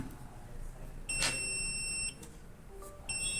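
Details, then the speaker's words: Buzzer driven by an Arduino program, on for one second and off for one second: a clean high-pitched beep that sounds, stops, then returns. The buzzer circuit works normally. "as you can see, buzzer turns on for 1 second and off for 1 second."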